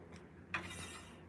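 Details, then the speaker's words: Apollo Phantom scooter, brake caliper loosened and being realigned parallel to the disc: faint continuous light scraping hiss as the wheel turns, no clicks; disc still rubbing the brake pad after adjustment attempt. "you can hear that the disc is touching the brake pad but now I can put it right in the middle let's see if I can get it first shot nope still hearing it kind of a bit"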